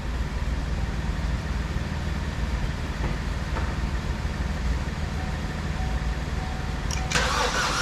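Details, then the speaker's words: 2012 Chevy Cruze with the engine just installed, with the battery suspected weak: the starter spins at an even, fairly brisk pace but the engine never fires; the cranking got easier, possibly as oil circulated. "Well, I think I'm gonna call it quits for tonight. I might go get a battery tomorrow. The cranking definitely got easier, makes me feel better."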